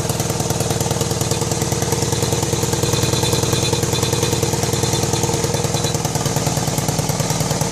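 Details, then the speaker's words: 1999 BMW K1200RS four-cylinder idling: steady puttering pop, about three a second, from the left front of the engine; exhaust manifold studs found loose, #4 exhaust tube rattling against the manifold port. "but when i got home it was quite evident that we're getting a uh some kind of a popping noise or a puttering noise coming out of the left front of the engine"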